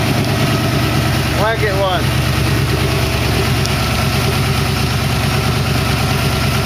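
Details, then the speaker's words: 1914 Dodge T-bucket hot rod with Hydramatic transmission, warming up to thermostat opening, about 160–180 degrees, 40 psi oil pressure, water pump working, slight hissing, no smoke: steady, even petrol idle with a low regular beat, sounds healthy. "Sounds good. Well, motor doing its thing."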